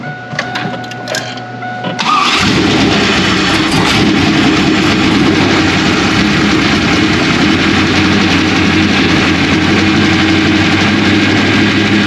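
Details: 2001 Trans Am WS6, 500hp LS1, first start since engine-dyno break-in, untuned with stock injectors and stock mass airflow sensor, GoPro audio: it cranks briefly, fires at two seconds, then holds a loud, steady, lumpy chopping idle, normal.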